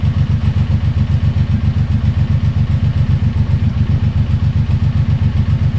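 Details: Suzuki Boulevard M109R V-twin just after an oil change with about 3.6 L of fresh oil, idling after the oil light went out: steady, even low-pitched idle pulsing about 2.5 times a second with no knocks or rattles; normal idle.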